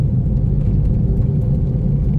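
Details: Toyota Vios taxi on a road test: heavy, constant low roar at steady road speed like grinding metal or a mixer, felt through the floor, no clear rhythm; noisy wheel bearing while driving.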